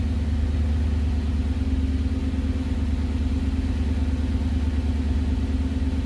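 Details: 1969 Gloria supercharged V8, first proper start, oil pressure good, alternator charging 14.3 V, 1100 rpm: deep, even rumble with a steady regular pulse at fast idle, no ticks or misses; healthy idle.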